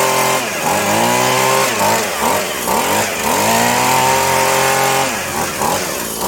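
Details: Husqvarna/McCulloch Tivoli 65 two-stroke hedge trimmer, sitting 15 years, after replacing perished fuel lines: buzzy engine revs up and drops back cleanly on the throttle, picking up smoothly each time; runs well.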